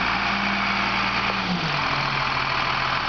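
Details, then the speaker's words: 2000 Freightliner FL-80, 8.3 L Cummins diesel with Allison automatic, engaged at idle without throttle and rolling slowly: steady idle with a smooth slight pitch dip as gear takes up, no clunk or slip; normal engagement. "folks, there's your evidence that the thing shifts properly, runs properly, engages and disengages properly."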